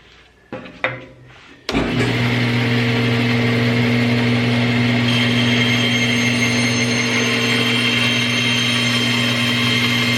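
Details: Jet 14-inch bandsaw bought at government auction, motor spins up then holds an even steady hum and whir with no knocks while cutting 3/4 inch red cedar; runs fine.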